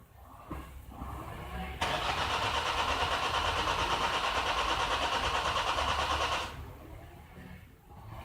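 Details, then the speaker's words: 2011 Nissan X-Trail common-rail diesel (dCi) with a hard-start complaint: a long crank at about three beats a second that never fires. Glow plugs are being powered, and no current ramp is seen on the number three injector, so the ECU is apparently not happy with rail pressure (about 101 millibars). Cause suspected, not confirmed. "I didn't see any what happening it means it's not happy with the pressure yet"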